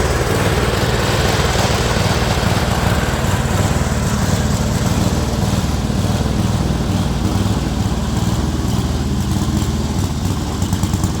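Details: Speedex model 1630 garden tractor single-cylinder engine with new carburetor, reused old head gasket, running and moving first time in years: loud putter with irregular, lumpy beat never settling; running rough, cause unconfirmed.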